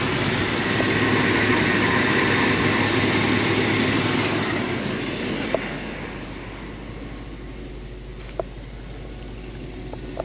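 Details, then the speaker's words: 1975 Mercedes 450SL at idle, engine running smoothly without vibration; steady buzzing hum over the idle from a loud aftermarket electric fuel pump at the rear, noticeable at idle but not inside while driving. "on entend bien la pompe à essence hein j'aime pas j'aime pas ça"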